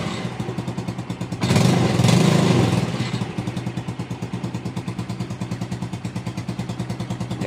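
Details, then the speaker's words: Motorcycle idling after its run-down battery was charged: sharp, even puffing tick about three times a second over the engine; exhaust leak from a loose exhaust bolt, to be tightened. "knalpotnya ada yang bocor. Nanti kita betulin dulu. Kurang kencang bautnya. Oke, ini knalpotnya. Bautnya ada yang kendor ya."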